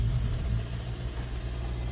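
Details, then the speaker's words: 2014 Hyundai Sonata with a flashing check-engine light, code P1326 (knock sensor performance) and power loss: a low engine drone held flat at full throttle, never passing about 2000 rpm. Rev-limited; the owner reports knocking and suspects the engine is failing. "you see I got all the gas pedal pushed and the same thing happen on the once you driving or the stop light or the stop sign it won't pass the 2 RPM"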